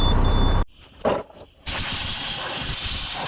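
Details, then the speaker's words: International 7600 truck air brake system, passenger-side rear: steady rushing hiss of air escaping from a leaking brake chamber, possibly also air through the hose; chamber to be removed and replaced. "I can't tell if it's leaking somewhere else as well or if it's just the air rushing through the hose, but long story short, we got to get that chamber off, get the chamber replaced, and see if that's our only issue."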